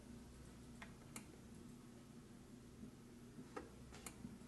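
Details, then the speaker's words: Whirlpool dishwasher WDF310PAAS4 after replacing the electronic control panel (part W10752855) for a no-start: a few sharp isolated clicks at cycle start as it fills and drains, ordinary relay switching; appears to be working. "I hear clicking. I hear it filling. It looks like it's draining, actually."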